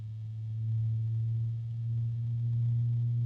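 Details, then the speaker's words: Azza CUBE 360 (LCAZ-360P-CUBE) ARGB AIO radiator fan: a steady low hum that swells and fades every couple of seconds, a harmonic resonance drone rather than a loud fan. "I thought I heard a harmonic resonance. Yeah, I think that's one. There's another one."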